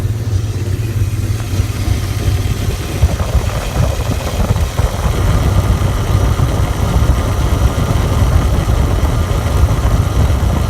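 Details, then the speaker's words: 1998 Dodge Ram 5.9L Magnum V8: rough, lumpy idle with an uneven beat and stumbles, a clear nasty misfire. It has blue smoke and a cracked catalytic converter, but no overheating or oil pressure loss; cause not pinned down. "and again like I said again like I said it doesn't overheat and doesn't lose oil pressure nothing like that it just has a really nasty misfire and a lot of blue smoke"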